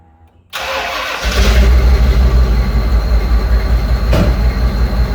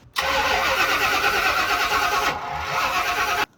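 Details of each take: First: 1995 Ford Bronco V8 after replacing a leaking throttle body gasket: it cranks, fires and settles into a deep, steady idle with no whistle or hiss. Normal idle, whistle cured. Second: 1995 Ford Bronco on a start attempt after an engine swap, fuel pump cycled; harsh uneven cranking with back pressure but no start; distributor suspected to be 180 degrees out.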